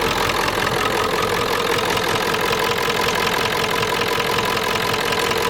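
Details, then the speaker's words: Diesel farm vehicle with suspected burnt-out glow plugs and bad battery ends, low on coolant: loud, busy idle clatter about three beats a second, rough and tired; smoke from the oil dipstick tube cold and hot, engine worn. "Now, when you run it for a while, the oil dipstick, there's smoke coming out of that when it's cold and hot both, so the engine's tired."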